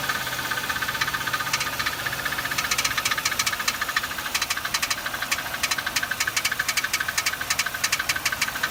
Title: Loud ticking noise